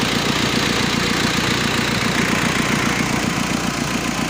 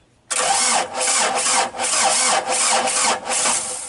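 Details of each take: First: Mazda B2500 diesel restoration: even idle clatter, no misses or stray knocks, steady healthy idle; normal idle. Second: Mazda B2500 that sat unused, started on a dead battery to find an oil leak: loud, uneven cranking with surging chuffs for several seconds before catching, a hard start after storage; oil is seen spitting from the leak.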